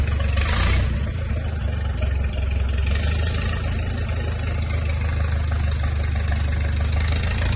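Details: 1951 Farmall M tractor engine, freshly rebuilt with new sleeves, lapped valves and a surfaced non-original head; coolant not yet connected. Steady low, even throb with no knocks or misses; smooth, healthy first idle.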